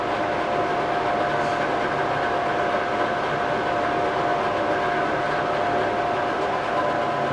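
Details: 2007 Mercury 90 hp 20-inch remote outboard, freshwater, 130 psi all three cylinders, carbs rebuilt, new plugs, impeller and fuel filter, on winter fuel mix: even, steady mid-pitched idle, no knocks or misses, under fan hiss; healthy.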